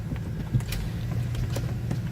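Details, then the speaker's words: 2007 BMW 328i, won't start, weak battery: scattered dry clicks on start attempt, engine doesn't crank; solenoid and starter suspected, unconfirmed. "I can tell you right now, I think it's the solenoid and the starter. The solenoid on the start. That's what I think it is. Whatever it is. I can hear it clicking that something."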